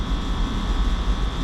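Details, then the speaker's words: Johnson Controls water source packaged heat pump serving a hot (88°F) switchgear room, cooling-tower water loop, had locked out and not cooled; after restart pressures and temperatures look good, room down 6°; steady low hum with faint constant high tone, no cycling or rattles: normal cooling operation. "it's been a little while and honestly these pressures and temperatures look good room already came down 6°"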